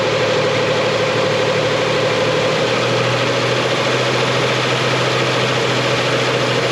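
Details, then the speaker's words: 2000 Nissan Frontier 3.3 4x4 after crankshaft seal, pulley and transmission work, run about 30–40 minutes with fluids topped off and power steering bled of bubbles; smooth even idle, steady low hum, pump whine gone. "power steering is full and stabilized no more bubbles the power steering pump noise is gone"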